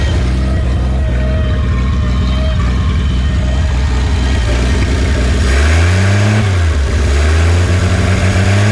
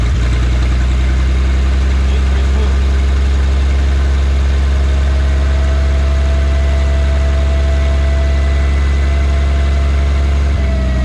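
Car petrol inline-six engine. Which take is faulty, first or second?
first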